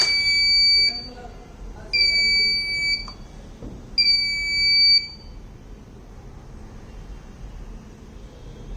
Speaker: So when it is below 2 kilopascals, then the indication of low pressure and then brake failure indication will be given and alerting the driver.